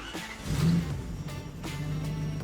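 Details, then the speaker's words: Toyota 1UZ V8 swap (from a 1992 LS400) newly running on a Spitronics standalone ECU: a steady, busy hum idling at about 2000 rpm, too high, before the idle is adjusted down to around 900; high idle speed. "600 700 yeah see that's at like two grand so i'll adjust that down"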